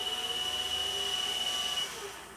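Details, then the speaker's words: Mini mill after greasing spindle bearings to cure a squeal that came and went, high/low lever in neutral: smooth, quiet high-pitched hum, no squeal or knocking, then gentle run-down; normal running. "beautiful oh my ears are loving it"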